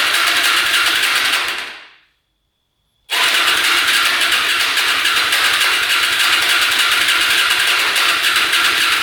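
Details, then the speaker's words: Hyosung Aquila 250cc motorcycle, fresh oil, fuel pump working: starter spins quickly in two long bursts with no firing; fuel leaking out of the exhaust pipe, engine flooding, won't start. "We're getting gas to everything, so not sure what the heck is going on. We've got gas leaking out the pipe here. I think it's flooding out."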